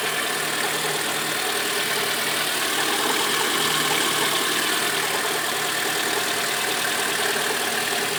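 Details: Lada Granta at cold idle: light, uneven tapping about three a second over the engine, quieter at times and louder when colder; a cold-start knock of unknown origin.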